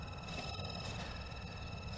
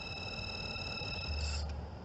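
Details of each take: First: Mercedes cabin blower fan on its lowest speed, panels dropped: steady high-pitched screech over low fan hum, quieter when a thumb covers the bottom hole; the blower motor bearing is evidently dry and squealing. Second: Mercedes cabin blower fan after PTFE spray was applied to its squealing bearing: the motor now spins smoothly with a low hum and faint steady high tones and no squeal, confirming the bearing; the fix may last only weeks.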